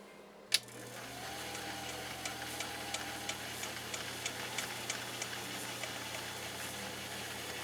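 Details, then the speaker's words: Husqvarna Viking 19E sewing machine in slow gear: a soft, even hum with light needle ticks about three a second, steady and unhurried; it runs smoothly. "but listen to this machine run when it's in a slow gear you can hear it right away ratcheted down so that you're able to have maximum control which i think is fabulous"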